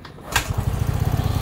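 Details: Yamaha RayZR 125 BS6 scooter with starting problem, after removing the self-start cut-out: sharp click, then engine catches at once and settles into even single-cylinder putter; normal idle, starting now works.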